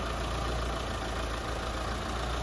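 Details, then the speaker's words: Mitsubishi Lancer 4G15 after engine refresh, four new engine mounts: smooth, even low hum with steady beat, no knocks or shakes, only minimal vibration; normal idle. "Kakapirasong vibrate lang. Kita nyo? Yan lang ang vibration niya mga padi."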